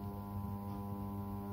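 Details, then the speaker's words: Ideal Mini HE24 boiler circulating pump powered, voltage confirmed across its pins by multimeter, giving a steady low electrical buzz with no pumping sound; faulty pump, needs replacing. "so that proves that is the pump how to make out buzzing noise"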